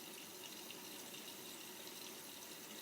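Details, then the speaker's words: Miele W562 washing machine in an overdosed-detergent extreme suds test, cascade rinse fill with fabric softener taken in: a steady hiss of water pouring in without pulsing, hammering or valve chatter. Normal water fill. "It's what they do before the first spin. And that's the uh cascade fill."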